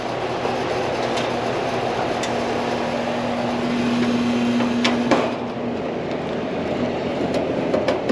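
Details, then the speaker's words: Carrier AC unit where the upstairs stays hot: a steady low electrical-type buzz under clattering and handling noise, then cutting off abruptly; buzzing, cause not yet found. "Hope y'all can hear that. The buzzing."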